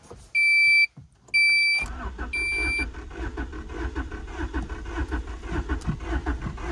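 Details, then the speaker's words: 1989 Honda Prelude with replacement ECU and new fuel pump, fuel pump audible priming: warning chimes, then the starter turns the engine over at an even pace with no catch; crank no start, cause still unknown. "New ECU, undid everything with this car. At this point, man, I don't know what's wrong with this car. I hear the fuel pump in the back."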